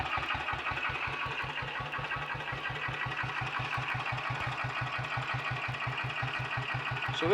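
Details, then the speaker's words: Royal Enfield Bullet 500 single, ported head, shortened aluminium barrel, 9:1 piston, ignition timing strobe-set, still cold: slow, even thump about five beats a second, no misses or rattles; healthy, ticks over faster when warm. "are we've got a good runner i want to say warmed up a bit it ticks over a little bit faster than that"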